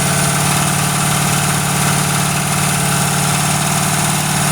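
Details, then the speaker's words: Original 1971 Ford Torino stored 25–30 years, first start on a new battery and 2-stroke-mix fuel: lumpy, uneven idle with irregular stumble; runs stoved up, possibly from the oil being pushed through it. "Kind of runs like it's all stoved up, but that could be all the oil we're shoving through her."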